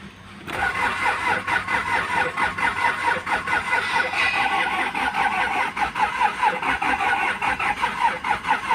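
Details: Kia Sorento D4CB diesel with codes P1183, P0263, P0272: long uneven churning crank that never catches or settles into idle; cranks but won't start, cause unconfirmed.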